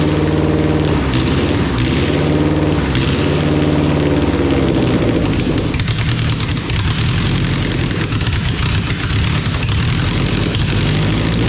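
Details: Honda Civic EK D-series four-cylinder after first start with swapped ECU and conversion wiring: steady even idle with no misses, knocks or hunting; smooth healthy run.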